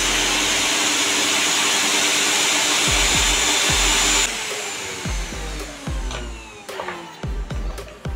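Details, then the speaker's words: Usha mixer grinder that would not run, after replacing the motor bush and reassembling the motor: high, even whir for about four seconds with no rumble or knocking, then coasts down; runs smoothly. "இப்போ push மாற்றினதுக்கப்புறமா ஸ்மூத்தாக run ஆகுது."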